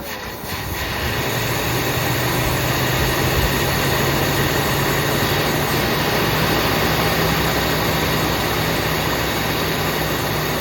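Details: 1979 Buick Limited with a Buick 350 V8, first start after long storage on a fuel pump, some two-stroke gas in the fuel: catches within a second and settles into a slightly unsteady rumbling idle, smoking a little. Rough idle needing tuning.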